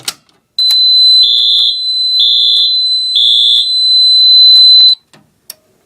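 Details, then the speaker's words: Fire alarm system test with a Radionics D7022 panel and Silent Knight NAC extender, set off from a pull station: loud, high-pitched electronic horn sounds steadily about four seconds, then stops, with strobe flashing at 15 candela; working normally. "wow i can't imagine how loud that was"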